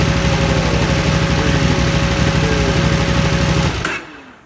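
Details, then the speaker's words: 2008 KTM 990 Adventure S twin, 6,500 miles, after 15 minutes idling following a TuneECU adaptation reset: steady, loping even idle with no stumbles, then clean shut-off. "Okay, it has been idling now for 15 minutes after we just did a reset adaptation on TuneECU."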